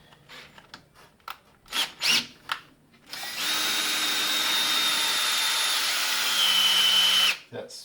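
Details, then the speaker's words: Ford 351 V8 oil pump being primed with a drill: a steady high drill whine dips in pitch as the pump picks up oil and pressure builds, normal priming load. "up on there you can hear the tone of the drill change and every now and then we have to give to drill the rest"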